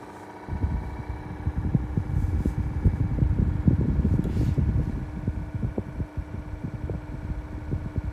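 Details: Ryobi One+ 18V cordless hybrid Whisper fan running: steady fan hum with irregular soft thumps and ticks; abnormal knocking noise inside the fan, cause unclear.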